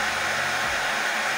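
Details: Oster hair dryer that would not turn on, after repairing a short in the wiring: steady, even rush of air with a constant motor tone, no crackle or cutting out, tested on mains while measuring current; runs normally.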